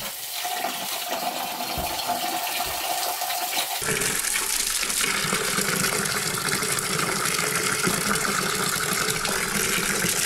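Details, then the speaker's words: Domestic pressurizing water pump, primed with water, tested on negative suction lift of about two metres: quiet at first, then a steady rush of water from about four seconds as it primes and pulls well; normal pump suction. "haciéndole una prueba con succión negativa llenando la primero de agua después al encenderla observamos que si succiona Y al menos a dos metros de altura observamos que succiona bien"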